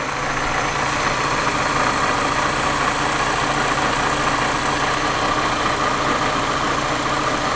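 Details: Supercharged Mazda MX-5 NA6 (Jackson M45 supercharger) after service where idle screw was altered: idle drones with uneven shaky pulse, almost misfire-like; rough idle from misadjusted idle screw, owner resetting it toward 1,200 rpm.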